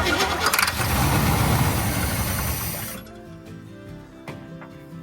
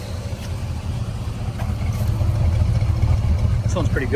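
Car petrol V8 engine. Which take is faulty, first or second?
first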